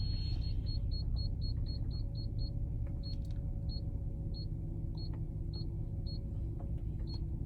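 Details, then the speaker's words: Audi TT with aftermarket four-sensor rear parking kit, beeper mounted under the mat and insulation on the loud setting: sharp high beeps over cabin rumble, quick then spacing to about one every half second; working normally. "It's underneath my mat and everything, and it's on the loud setting, but even then, with the loud setting, it actually makes a perfectly balanced loudness here in the car."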